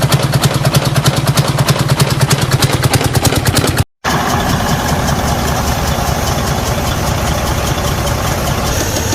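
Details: Detroit DD15 diesel at idle: rapid, even knock on top of the idle keeping time with engine speed, from a lobe spun on the hollow camshaft; fix is camshaft replacement.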